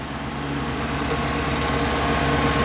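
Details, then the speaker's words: Truck running on wood gas (synthetic gas) from a homemade gasifier: steady, smooth, somewhat fast idle that swells slightly; idle is higher than normal on gasoline, which the owner attributes to the gas's hydrogen content, unconfirmed. "It's a higher idle than it normally runs on, so obviously the hydrogen content is got a higher RPM than the gasoline."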